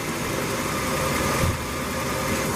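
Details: 1987 Ford F150 inline-6 EFI after replacing EGR pressure feedback sensor (DPFE) for code 32 rough idle and stalling: steady, even idle with smooth low rumble, no stumbles, misses or surging, running quite smooth; normal idle.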